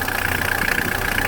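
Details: Mitsubishi L200 turbo diesel, just started and not yet warmed up, after fitting a new variable geometry turbo solenoid for an overboost issue. Quick, even diesel clatter at a steady idle with no misses or knocks. Normal idle.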